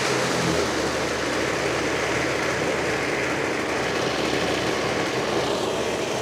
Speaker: that ain't too bad I think that'll do just fine